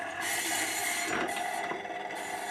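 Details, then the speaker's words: 1930s Columbia record player, 240 V AC motor, first run after reassembly: rasping, scratchy whir with no clean hum, rather noisy; brake needs adjusting; noisy turntable motor, brake out of adjustment. "rather noisy oh i think we'd better hang on i shouldn't have done that we better get the break adjusted first"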